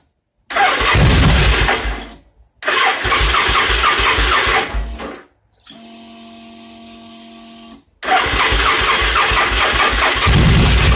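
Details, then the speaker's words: Victory V-twin motorcycle built from mixed parts, running very lean: revs in rough bursts but dies returning to idle; sounds like fuel pressure loss yet gauge shows 60 psi, cause unconfirmed. "If I give it throttle, it'll rev up, but when it comes back down to idle, it just wants to die, which sounds like a loss of fuel pressure."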